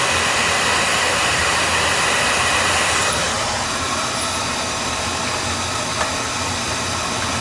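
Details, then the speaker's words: Oil burner during combustion check on a setup where another nozzle made it worse: steady, even hissing roar with no pulsing, rumble or sputter, running clean and lean; normal burner operation. "It's running clean. It's running clean and lean."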